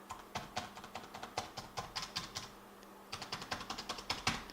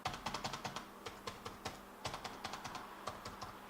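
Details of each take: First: ThinkPad X220 keyboard: typing on the bottom-row keys gives sharp, hollow clacks at about four or five keys a second, as the keyboard flexes inward and its metal underside taps and rubs the chassis metal; upper rows stay fairly quiet. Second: Lenovo ThinkPad X220: light, fairly quiet keystrokes on the upper keys, no hollow tapping; typing on the bottom rows flexes the deck so its metal rubs the chassis and taps loudly, keys feel mushy.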